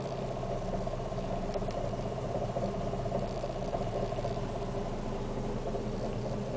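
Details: Fiat Siena 1.6 at idle, heard from the interior: low, uneven idle with an unsteady pulse about once a second, with noise reaching the cabin and a constant shake felt throughout idling; rough idle, cause not yet clear.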